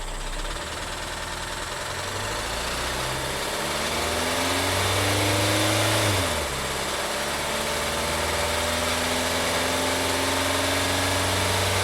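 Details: 2012 VW Tiguan GDI turbo that stalled with suspected low oil pressure, still 2 quarts low after oil added: rough idle with steady regular knock rising and falling with throttle blips; massive rod knock, engine judged finished.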